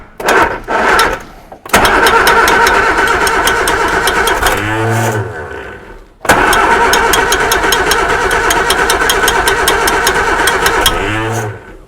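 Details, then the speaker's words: Reliant Supervan running for the first time in 37 years: after two tries the engine catches and idles with a quick steady metallic ding, about three a second; the fan is tapping on something, source not found, not the alternator. "working the fan is definitely tapping on something but I don't know what it is well some's tapping on something around here you can hear it going ding ding ding ding ding"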